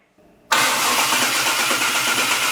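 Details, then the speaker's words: Classic car (around 1978) with starter motor casing previously broken off by steering arm, after starter repair: quiet, then a strong steady cranking whirr with no grinding or scraping; starter engages cleanly, issue rectified. "that sounds lush."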